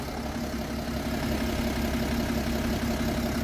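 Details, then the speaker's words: BMW E92 335d diesel at idle: faint steady whirring over the low rumble, coming from one side of the engine, no knock; accessory source not pinned down, owner plans to have it checked. "the engine I don't know if you can hear that but there's a very Waring sound coming from the engine there it's coming from over here"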